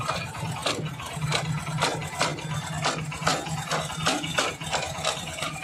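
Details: 2025 Honda SP125 motorcycle with engine warning light on: sharp ticks under two per second over a soft single-cylinder idle, with background music; owner reports a "kit kit" noise when releasing the clutch; cause unknown, service centre wants to open the engine.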